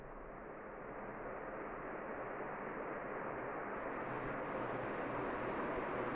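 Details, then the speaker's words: 2010 Crompton Dec'Air ceiling fan, about seven years old, after reassembly: soft steady rush of air with no ticking, rubbing or hum; fan running smooth and quiet. "Both are giving awesome performance, as you can see. And even this guy running awesome."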